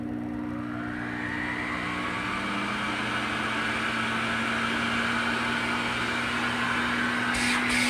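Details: Elektrapure Exclusive Edition canister vacuum (Health Mor) on its highest setting: motor whine climbs slowly and levels off low. A circuit board fault stops it reaching full speed, giving middling suction.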